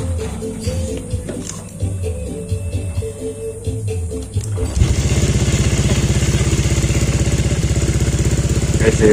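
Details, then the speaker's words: Honda Vario 125 LED scooter starts right away and idles steadily and evenly after replacing a faulty CKP sensor that caused no-start, stalling and MIL light; running normally again. "motor udah nyala lagi ya, sudah normal kembali seperti semula."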